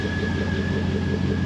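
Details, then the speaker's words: 2003 Chevrolet Silverado 5.3 V8 idling after replacing belts, tensioners, idler pulley and reinstalling the alternator: smooth low rumble with faint constant accessory-drive whine; charging fine, runs clean, nothing amiss. "everything looks good it's charging so that means me putting the alternator back in was just fine oh yeah she's good"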